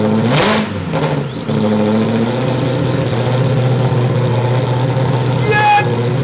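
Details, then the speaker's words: Ferrari engine in an Alfa Romeo 105 build, first start after fixing crank signal wiring: fires, revs up and holds an even, steady run with a clean exhaust note, no misses or knocking. "it started it ran you saw it I had it ah yeah yes hey engine runs yes"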